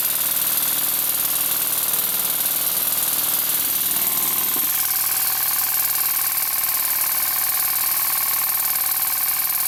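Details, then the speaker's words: Model steam engine on compressed air after the slide valve fix, deliberately run fast: fast, steady, even chuffing with a bright hiss and no clatter, running surprisingly well. "it really does run surprisingly well for what it is"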